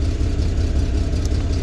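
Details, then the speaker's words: 2000 GMC Jimmy idling very rough with an uneven lumpy pulse; misfire codes on cylinders 2 and 4, check engine light on; owner suspects worn spark plugs, a fuel pump and a possible vacuum leak. "Yeah, it's running really rough. It definitely needs spark plugs. So we'll probably end up putting spark plugs in it."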